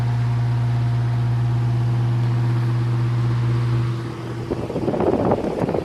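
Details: Circa 1948–1950 Hunter CG-16 industrial fan, oscillator mechanism freed and lubricated: strong, steady low hum for four seconds, then dips and roughens as the oscillator engages; motor runs freely, normal fan running.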